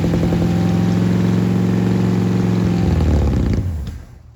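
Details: 1967 Mercury Park Lane with 410 Ford FE engine, cold start, timing needing adjustment; slow labored cranking about three to four compressions a second that dies without firing, battery deader than thought; slow crank, no start from weak battery.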